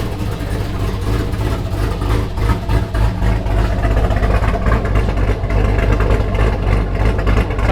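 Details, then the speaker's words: Nissan Skyline R32 GTR after Seafoam was added to the engine oil, the coolant flushed and a steam-port hole tapped by the water pump. Steady low rumble with even firing and no knocks or ticks; sounds as it should. "That's what a can's supposed to sound like right now."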